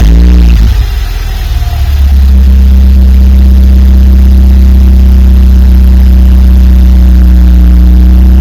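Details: 2004 BMW 318Ci N46B20A after replacing the Valvetronic actuator motor and valve cover gaskets and relearning: cranks, catches within two seconds, settles to smooth steady low idle with no stumble; running normally.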